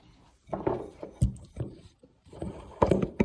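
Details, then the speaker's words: Arnott AS-3381 rear air strut for a Tesla Model S, removed after almost a year in service and shaken by hand: loose clacking in quick bursts from somewhere in the top end. Internal part loose; going back under warranty. "ich wollte euch einfach mal das klappern zeigen und zwar muss das hier oben aus dem bereich irgendwo herkommen"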